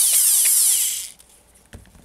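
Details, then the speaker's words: Dremel 4000 rotary tool used for jewelry work, speed controller board replaced about eight months earlier, failed after 2–2.5 hours of use. A high motor whine runs about a second, then dies to near silence as it cuts out under power. Owner suspects a brush isn't getting power. "then all of a sudden it stopped working but half stopped working i'll show you what i mean turn it on and that is what happens sleeve adjustment it tries and then can't cope"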